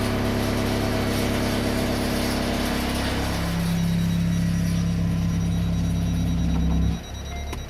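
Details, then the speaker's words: Hyundai Santa Fe DM on a cold engine at idle: in Drive, a steady low droning hum rises over the engine, while Reverse, Neutral and Park are quiet. The noise disappears once the engine warms up. "Драйв. Атом. Когда прогреется, звук уходит."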